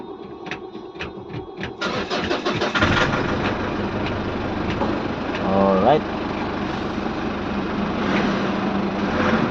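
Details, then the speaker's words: Ford Everest diesel with morning hard starting, after the four injectors were checked and refitted: brief uneven cranking, then it fires on one click and settles into a steady, even idle with no misses. A healthy start. "Okay papatayin ulit natin tingnan natin kung start pa tch ulit yun Okay good job one click na hindi na kaya kanina"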